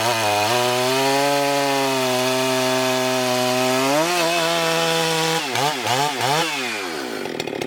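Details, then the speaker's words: Husqvarna 394XP chainsaw, freshly rebuilt and ported, early shakedown runs on a hot humid day: steady high two-stroke scream holds pitch through the cut without bogging, then crisp throttle blips. Running normally; expected to strengthen as rings seat. "all right guys I'm going to call that win I'm pretty tickled with it just for the few first couple of Shakedown runs on that thing she's doing amazing"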